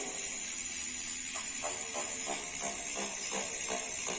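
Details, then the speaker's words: Novatec D042SB rear hub on a bicycle, new and initially binding: hissy scrape repeating about three times a second as the wheel turns, stopping at certain positions; internal freehub noise from a manufacturing defect. "Barulho interno dentro do free hub."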